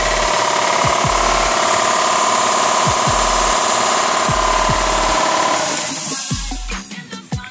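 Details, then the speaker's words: Kobalt 60-gallon air compressor after replacing its pressure switch: brisk, even piston thumping and steady motor hum while pumping, then the motor winds down and stops. This is a normal cycle to cut-out pressure. "now what we going to try to do is going try to get the pressure all the way up to about 120 that's where I keep it at"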